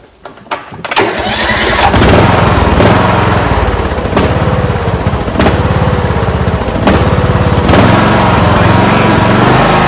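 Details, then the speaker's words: Kohler Courage 19 HP single-cylinder engine on a Husqvarna lawn tractor starts, then hunts and surges at idle, speed rising and falling every second or so; carburetor suspected, to be taken apart, not confirmed. "it hunts at idle I have to take the carburetor apart see what's wrong with it"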